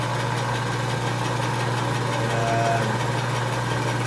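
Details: Craftsman 101.07301 6-inch metal lathe, probably late 1940s, Marathon 1/6hp 115V motor, motor moved and belt tensioned: even motor hum with light belt whir, no knocks, slap or squeal; runs smoothly.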